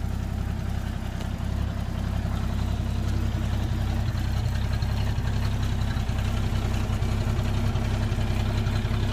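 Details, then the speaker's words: Toyota Land Cruiser FJ60, rusty beach vehicle, first start: steady, even low idle with no knocks or misses; exhaust broken somewhere but the engine sounds healthy. "the exhaust seems to be broken somewhere but it does sound amazingly healthy"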